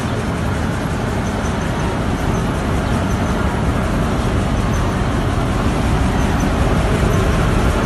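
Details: Petkus K527 seed cleaner after major overhaul: steady, even mechanical rumble with no knocks, rattles or rising pitch, running smoothly and healthy.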